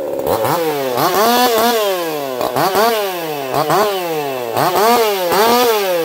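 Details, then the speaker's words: Echo CS4910 chainsaw with experimental taper-top piston/crank swap, ported for open crank, running a little warm, compression about 180 psi cold, 170 warm; hard-revving two-stroke sags into each cut and screams back up, strong and even, healthy. "I'll be curious to see what you guys think of that one. I don't even think it sounds like a chainsaw. It does run a little warm."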